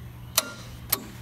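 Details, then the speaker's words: Wrecked Lamborghini Huracan, start attempt via the starter button, hand on the starter feeling it click; two sharp clicks about half a second apart with no cranking. Bad starter or battery suspected, unconfirmed. Starter clicks, no crank. "put my hand on it and see if I can feel it even moving once it clicks you know cuz that's a pretty hard click"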